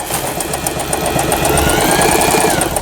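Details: Elna 120 sewing machine made in Thailand, repaired after a bent cam follower release arm had stopped forward/reverse and pattern dial movement: rapid, even needle clatter at a steady rhythm, no knocks or binding. Normal sewing.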